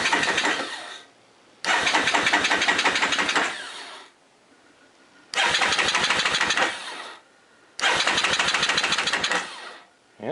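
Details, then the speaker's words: Honda ATV after rebuilding the factory starter: three strong, even cranking bursts about two seconds each, engine catching cleanly; starter turning over properly. "like it's running good all right well does it start let's find out yep sounds good"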